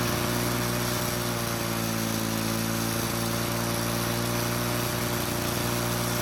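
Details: Lawn-Boy mower two-stroke engine after bending the governor spring: runs at a steady fairly high buzz and won't drop to low speed; high and medium speeds work but low speed doesn't, governor adjustment still needed.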